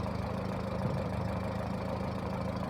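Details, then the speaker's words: Engine at idle with a misfire but not overheating, scanner reading 72 and engine consuming coolant; steady low rumble with a slightly uneven, lumpy beat; idle misfire. "no se alcanza a apreciar está fallando pero no se calienta"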